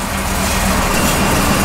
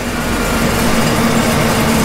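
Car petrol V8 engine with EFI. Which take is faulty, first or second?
first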